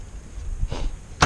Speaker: Il s'ouvre. Bon, il racle un peu, mais